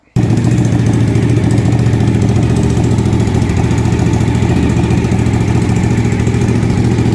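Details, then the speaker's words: 2000 Suzuki TL1000R V-twin race bike, finished project: deep, steady lumpy beat at an even pace with no knocks or rattles; healthy normal idle. "Okay, so we're gonna go ahead and start this machine so that you guys can get a feel for what the V-twin race bike sounds like."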